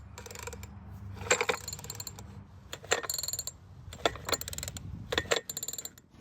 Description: This blower was making a terrible sound when pulling on the handle.